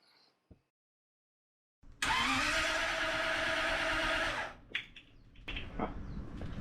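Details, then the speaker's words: 1939 Buick 248 straight-eight with new coil, points checked, spark present, timing estimated about 5° BTDC: starter spins it steadily about two and a half seconds without firing; it runs on gasoline poured in, so the fuel pump isn't delivering fuel. "All right, so I got to troubleshoot why there's no gas getting pumped for the fuel pump."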